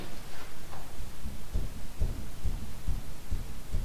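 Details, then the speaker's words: 2010 Jeep Liberty on a lift, raised front wheel rocked by hand giving dull repeated clunks about twice a second: bad wheel bearing, ball joints still to be checked. "That's how you can tell it has, this one here has bad wheel bearing."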